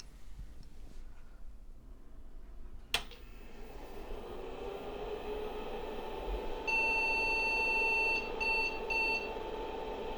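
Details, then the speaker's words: IBM 5150 PC powered on with floppy drive connected and PS/2 keyboard adapter: steady beep then a few short chirps, still beeping as if in error, cause unknown; it then boots to a blinking cursor. "still beeping like it has an error"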